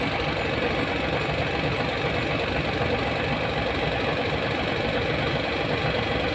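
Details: Hino 700 with E13C diesel, low power, rough idling and hard starting: heavy idle with an irregular knock and uneven beat about once a second; misfire from malfunctioning injector #5.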